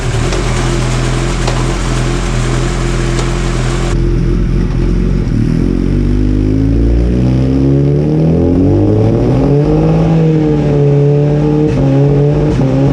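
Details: Kawasaki Ninja after fitting a Sprint air filter, fresh plugs, a Power Commander and a quick shifter, before a dyno tune: revs climb and briefly drop at each gearchange, with clean quick cuts and no pops. The quick shifter works as it should.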